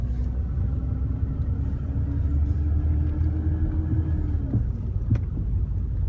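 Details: BMW E34 with sudden clunking: low, even road rumble with a steady hum, then two sharp clunks about half a second apart, cause unknown; clunking noise.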